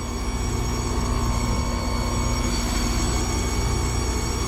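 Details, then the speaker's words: Lennox heat pump at roughly 80–83°F outdoors, compressor drawing only 3.9 A against a 9 A RLA: steady hum with a thin high tone over the fan whoosh, no labored load note; technician suspects internal bypass with valves bleeding over. "And it sounds to me like the compressor's bleeding over in this thing."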